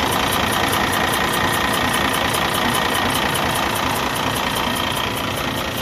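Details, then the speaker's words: 2012 Cummins ISX15 diesel, engine repaired about 180,000 miles earlier, at idle: lumpy uneven beat with puffing hiss each cycle, cylinder six dead with no power, misfire and tail smoke, coolant consumption; compression leaking through cracked cylinder head. "you hear that the maximum amount of uh like pressure release pressure exhaust is coming from the cylinder number six"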